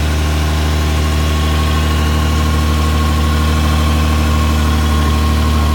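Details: Toyota Lexus LX450 at steady low idle: a faint, uneven puffing tick rides on the firing pulses, consistent with an exhaust leak.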